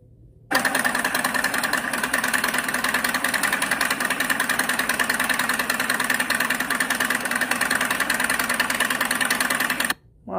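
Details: Harley-Davidson motorcycle at an auction listing: a quick, even pop-pop idle at roughly three beats a second with no knocks or rattles, a healthy running engine.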